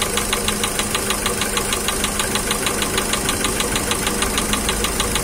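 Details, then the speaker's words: Volkswagen Jetta 1.6 petrol, semi-dead engine audible even from the cabin after a cold start: once the raised cold idle drops, a sharp, even piston-slap knock about three times a second is heard distinctly. "Ещё немного вперёд, обороты упали и стук поршневой уже слышен отдельно и отчётливо."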